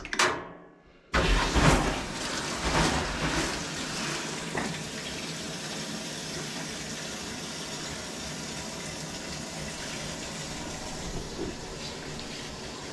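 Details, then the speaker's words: Frigidaire laundry centre washer that would not start (only lid locked), after repair on normal cycle, medium rinse, warm: a click, then a steady rush of water filling the drum with nothing straining. Normal water fill. "think it's fixed so it's filling so i'm gonna run the washer for maybe about five minutes just to make sure everything is working fine"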